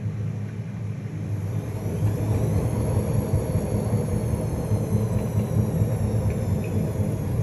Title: Privileg washing machine noise